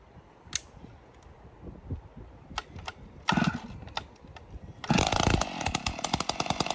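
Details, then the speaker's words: Stihl 056 AV Super chainsaw after strip-down, no muffler, on choke, plug finger-tight: a few pops then a fast, crackly two-stroke run with no strange internal clanking, only a light plastic rattle from the starter. "i don't think it's doing it there's a slight uh slight plasticky rattle but i believe that's the starter so uh that's good"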